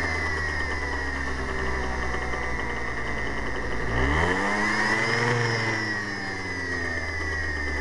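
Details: Zuma scooter just after fitting a new drive belt: steady whir under the engine note, rising and falling with throttle blips, coming from the rear end/drive area; odd noise, cause unknown.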